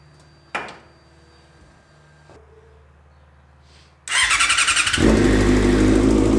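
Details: Yamaha FZ6 engine fitted to a homemade kart, first start after new stainless exhaust and cooling circuit: starter whirs briefly, engine catches cleanly, settles into steady even crisp idle; healthy.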